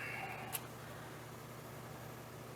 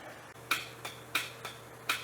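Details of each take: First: Ventrac 4500Y compact tractor, 25 HP Kubota diesel, engine off: faint, steady electric hum of fuel pump priming normally after its relay was moved from wrong top slot to correct second slot. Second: Neglected Ventrac 4500Y compact tractor with 25 HP Kubota diesel, freshly cleaned, first start attempt after poor prior wiring work: key gives only sharp dry metallic clicks, starter won't spin or crank; jumping the starter with a screwdriver later cranks it.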